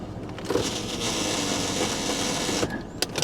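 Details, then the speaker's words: Cheap Jeep Liberty at Copart, shifted through part-time/full-time four-wheel drive and four low; harsh rough mechanical rush with sharp clunks after engaging four-wheel drive; front differential suspected missing, not confirmed: abnormal noise when engaging four-wheel drive. "wow that didn't sound healthy I think the front differential is missing yeah I think the front diff is missing"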